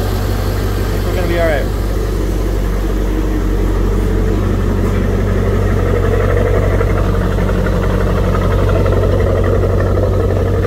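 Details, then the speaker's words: Corvette ("Grape Ape") first start since October 2023 after sitting, cold and warming up on a humid day with exhaust condensation: steady, even idle with smooth low drone, no ticks, knocks or misses; good oil pressure, charging — normal idle. "sounds good it's a little humid out today so it's kind of got some condensation off the exhaust a little"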